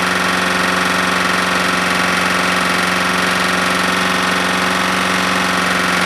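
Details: Smoking Husqvarna lawnmower single-cylinder engine burning very thin black oil, suspected past the rings; heavy regular knock about three a second at steady speed; owner suspects a bad connecting rod with slap.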